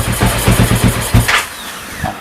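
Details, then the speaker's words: Honda Wave with a CBR300 engine, fuel value in the ECU tune set to 22: uneven, slow idle thumps stumble for about a second, then the engine dies; stalling from too lean a fuel setting, so 23 is used. "ดับไปเลยใส่ส่งเป็น23แล้วกันประมาณนี้"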